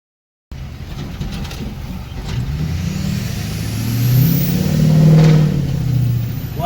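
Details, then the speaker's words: 2006 Ford F350 6.0 diesel accelerating on the road after fixing P2262 (broken intake MAP sensor nipple), which had caused zero boost and dropping cylinders: climbs smoothly under load with no skip or drop, a strong healthy pull. "yeah sounds way better that was a nice pole"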